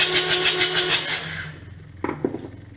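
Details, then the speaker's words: Kubota D722 three-cylinder diesel cranked after injection pump reinstallation with a new plunger: starter turns slowly and evenly, then fades without catching. Weak battery, no start. "That's not a good sign. Pretty sure I put it in the right way. Turn it over a little bit more. Battery's getting a little weak."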